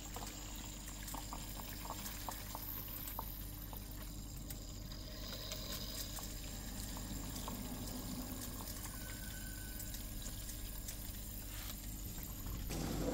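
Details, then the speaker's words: Beko smart inverter dishwasher filling on program 8 after the stuck drain pump was freed: a quiet, even rush and trickle of water over a low motor hum, no grinding or knocking; normal fill. "Now water will come. After that we can check pressure and everything."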